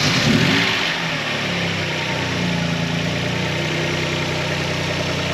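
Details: Calibra 4x4 converted to a 2.5 V6, started after years in storage with all belts and oils renewed: brief start-up flare, then steady, even idle with a smooth low hum, no misses or knocks; runs healthy.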